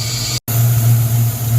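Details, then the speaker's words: 1994 Ford Mustang GT convertible V8 just started after a new TFI module: idling with a steady low rumble and an airy sucking hiss, a vacuum leak found to be a popped-off PCV valve. "It is running and idling, but we definitely have a vacuum leak now. I can hear it sucking. I just can't figure out where it is."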